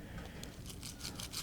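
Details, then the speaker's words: Porsche 996/986 strut bearings removed and rotated by hand give dry gritty scraping in short uneven bursts. One was previously replaced and sounds rough, the plastic one is destroyed. They were not the clunk source but are being replaced. "as we looked at the strut bearings you can see this one has been replaced in the past kind of a gold color and it's still good i guess but it sounds kind of rough this one here was plastic and it's it's just destroyed you can see the little roller bearings in it"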